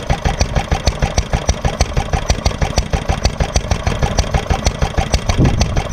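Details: Granddad's 1946 International Harvester LB hit-and-miss engine, restored, started cold, at full speed about 1,000 RPM as specified: sharp, regular firing bangs about three a second with occasional coasting gaps as it governs itself; normal hit-and-miss running.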